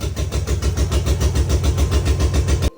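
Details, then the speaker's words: 6.0L LS V8 swapped into BMW 325Ci after endless troubleshooting, running on only three cylinders; lumpy uneven low thumping instead of smooth V8 beat, misfire from non-firing fuel injectors. "you guys saw me started for the first time after troubleshooting endless hours of the car well now the car's only running on three"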